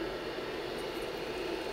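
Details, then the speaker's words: IBM PC 5150 hard drive, platters freed from stuck heads and a missed cable reconnected, booted from DOS disk: steady, even whir with one clear mid-pitched hum, no scraping or grinding; drive spins up normally and head stepping is felt. "hard drive spinning up again excellent and yes now I can feel the head stepping there we go"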